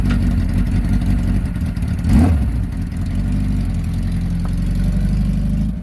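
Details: 1982 Suzuki GS850 shaft-drive motorcycle, running after repair of a ground-down rear wheel hub drive spline. A steady, even engine rumble with a smooth low beat and no knocks or clunks. Normal running.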